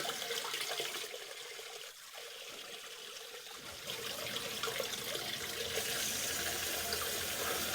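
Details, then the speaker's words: New Liberty 1/2 hp sump pump just installed after an alarm during a downpour and winter thaw, with a relief hole drilled against hydrolocking: steady hiss of water over the running pump, no knocking or grinding; a normal test cycle. "it's the test and she's running one more cycle"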